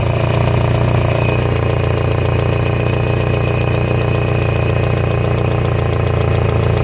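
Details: 2000 Kia Sephia, just reassembled after timing belt replacement and test run a few times: steady low idle with a rough puffing edge and faint fast ticking, sounds like noisy lifters plus an exhaust leak at the front.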